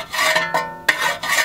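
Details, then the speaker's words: Wheel after a brake job while driving: light rhythmic scraping rub repeating each wheel turn, probably from a bent brake dust shield (backing plate) touching the spinning rotor; harmless, fixed by pushing the shield away with a screwdriver through the wheel spokes. "but what happened is they actually probably bent this shield and it's hitting the rotor as it spins it's causing"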